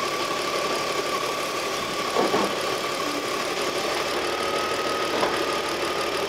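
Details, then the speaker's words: BMW X5 E53 idling at about 700 rpm, with short spray hisses at the intake; idle rises to 870–880 rpm when sprayed, showing an intake vacuum leak. Suspected spots are the brake booster or a deformed plastic cover. "이게 무슨 얘기냐면 얘가 연료라니까이 연료가 외부로 들어갈 수 있는 거야 이게 지금 어딘가 연료가 공기 구멍이 샌다는 얘기거든"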